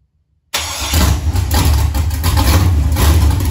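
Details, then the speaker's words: Junkyard LM4 aluminum 5.3 LS V8 on an engine stand, just fitted with a Tick Performance Street Heat stage 2 cam (229/235, 111+2): fires instantly into a loud, choppy lope through open headers in a closed garage and revs cleanly; healthy cammed idle, louder than stock. "it's kind of hard to hear what's going on because it's so loud but it's definitely louder than it was before"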